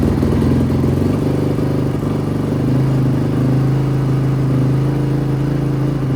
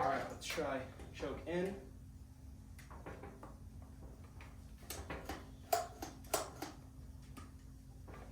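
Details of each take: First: 2005 Honda CRF450R, previously locked transmission, running on choke: steady fast-idle thump, even beat, no clatter; runs cleanly. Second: 2005 Honda CRF450R bought with a locked-up transmission, kicked with choke on: two heavy kick-over thumps and a brief churn but no firing; cranks but won't start. Piston is free; owner suspects a bottom-end rather than top-end issue.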